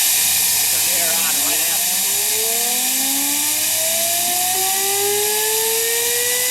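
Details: Homemade propane-fueled turbocharger jet engine with afterburner: loud hissing roar, brief sputter, then a whistle rising steadily in pitch as it spools up; tone changes once the afterburner lights, burning cleanly.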